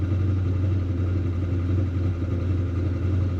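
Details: 1968 Dodge Dart 340 V8 with a rebuilt A727 transmission, cold start: an even, steady low burble of about three to four beats a second with no knocks or ticks, a healthy cold idle.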